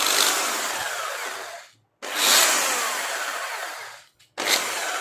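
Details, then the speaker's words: Drill machine after switch replacement, only four housing screws fitted, power applied and run in reverse then forward: short bursts of high buzzy whir with a faint rattle from loose housing screws, expected to stop once all screws are tightened. "इसमें जो आवाज़ आ रही है वो सब screw कसने के बाद ये बंद हो जाएगी।"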